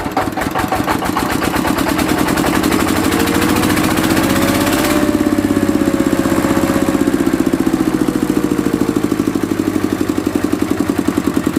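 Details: Mitsubishi single-cylinder diesel, after repair of diesel leaking into the oil sump with heavy white smoke (pump plunger, pump valve and pump seal replaced): even knock at a steady rate, speeding slightly then settling, no misfire; running normally.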